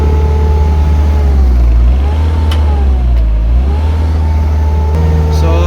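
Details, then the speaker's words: Isuzu 4HL1 diesel with a low-power complaint, revved in place: revs climb, sag and climb again but flatten at about 2,500 rpm and never reach 3,000; rev-limited, low power, cause not yet found. "hanggang 2,500 lang po ang pinakataas na revolusyon natin ngayon. Talagang 2,500 lang po mga kalbularyo. Hindi na siya aabot pa dito sa 3,000 RPM."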